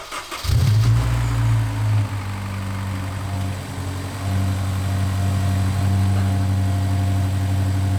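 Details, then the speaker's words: Honda S2000 just after replacing the worn factory timing chain tensioner and changing the oil: it cranks, catches quickly and settles into a smooth, even idle. The earlier rattle is gone. "Well, I'd call that a success. The noise is gone. Let me just rev it a little bit just to see if something comes up."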